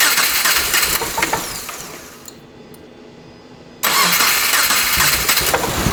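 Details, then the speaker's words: 2.5L engine-swapped first-generation Subaru Crosstrek, hand-built motor, old injectors refitted: loud ragged running that sags near stall then catches again; all cylinder heads feel warm, owner suspects fuel injectors, cause unknown. "I mean, these ones feel like they're warm. This front one feels, yeah, they all kind of feel warm, but you saw it, like it was running pretty rough. But it honestly might be fuel injectors."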